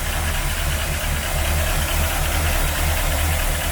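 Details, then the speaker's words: 1977 Cougar, starting right away after a no-spark, crank-no-start fix: steady engine with a loose, uneven beat about once a second; it idles rough, cause unconfirmed. "oh boy now it's not running the best because i don't know how long it's been sitting but it starts right away"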